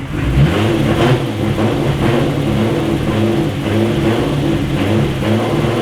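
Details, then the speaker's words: Turbo VR6 GTI just started on fresh E85 after running on empty: it revs, then sags and surges roughly every second as if about to stall, but doesn't die; rough running. "uh issues kind of having some issues like uh it'll start it'll rev up but then it sounds like it like wants to die out and it does not"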